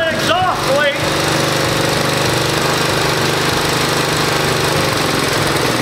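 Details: 1969 Roof Palomino lawn mower Jeep single-cylinder engine, started with choke and compression release: brief sputter, then a loud, steady, even chug with no misses; runs properly.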